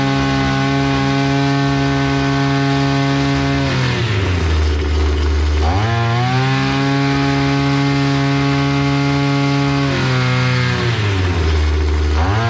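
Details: Efco two-stroke brushcutter after carburetor repair (it had been running briefly then stalling from fuel leak/pump issue): strong steady howl, drops on throttle-off and climbs cleanly back, no sputter or dying; now runs properly.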